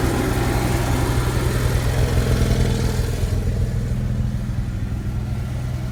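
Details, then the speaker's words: Onan Marquis Gold 5500 RV generator with a new fuel pump (previously stalling after running). Steady, even low hum with no surging or stumbling. Normal idle. "it's been 3 and 1/2 hours since I started the generator with a new fuel pump and it's still running without issue"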